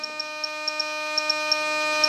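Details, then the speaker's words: Skymaster XXL Hawk RC jet with dual elevator servos at full up travel before balancing in the Jeti DS24: a steady high buzz with faint ticks as mismatched servos fight, drawing 0.85 A. "so now our elevators are moving okay up travel you can hear it's very noisy we've got .85 amps"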